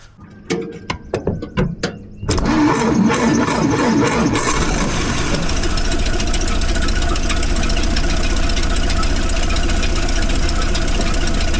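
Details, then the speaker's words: 1931 Plymouth after a warped front brake drum was repaired, brakes adjusted, gear oil done and plugs changed. It cranks a few turns, then catches cleanly and settles into an even, steady idle with no knocks; it fired right up and runs good. "There you have it. Fired right up and running good."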